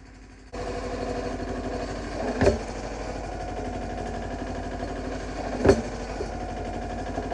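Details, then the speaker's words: Yanmar 1500D diesel tractor after fixing three-point lift (backwards hydraulic filter causing pump cavitation, new O-rings), snow blade lifting and dropping: steady idle with two firm thumps seconds apart, no pump whine; lift working normally. "so needless to say the three-point hitch is finally working and i couldn't be happier"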